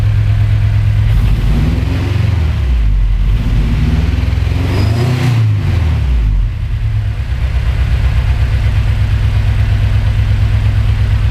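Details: Honda Civic EG6 race car misfiring at high revs, fault found during a race with check engine light, unburnt fuel suspected: loud lumpy petrol rumble with rough stumbling blips when revved; ignition system being tested for the cause.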